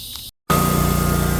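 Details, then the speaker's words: 50-inch Cub Cadet zero turn mower after no-start, started using the battery since fuel shut-off solenoid at carburetor needs 12 volts: small engine runs steady even chug with faint high whine; normal idle. "Alright, I finally got it started, and what I had to do was start it using the battery."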